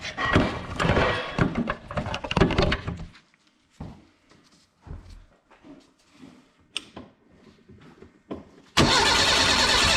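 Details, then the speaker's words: Renault 5 GT Turbo engine in a project van, first start after correcting ignition timing (had been set at 80 instead of about 50): uneven stumbling bursts, dropouts and pops, then rough steady running; needs tuning, several leaks noticed. "all right so it definitely needs some work but that is the most promising sound I've heard all day"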